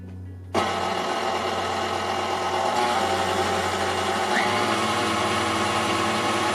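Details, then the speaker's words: KitchenAid stand mixer after regreasing the gearbox and adding a TPU bushing under the head-height screw (previously struggling with dough, noisy): smooth, steady motor whir with even gear hum, no knock or grind; running normally. "I think that sounds much better."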